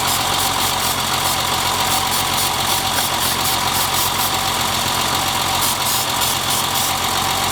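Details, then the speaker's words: BMW E30 idling while brake cleaner is sprayed around intake areas to test for vacuum leaks: uneven loping misfire stumble, a few beats a second, unchanged by the spray; cause found to be a clogged fuel rail. "well as you can tell sprayed some brake cleaner around idle quality didn't change at all whatsoever it is misfiring"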